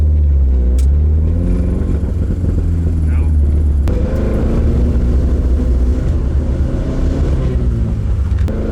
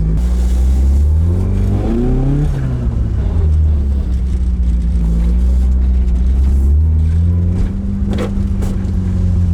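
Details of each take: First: Carbureted AE86 build, ignition timing just moved, MSD ignition: engine stumbles and goes uneven as throttle opens, bogging instead of pulling; timing change didn't cure it, misfire. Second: Carbureted AE86 four-cylinder on a temporary throttle setup: it revs cleanly through several rises and drops without stumbling. It is now running right, and the owner concludes the Weber carbs were the earlier problem. It is still slightly smoky, with a coolant leak.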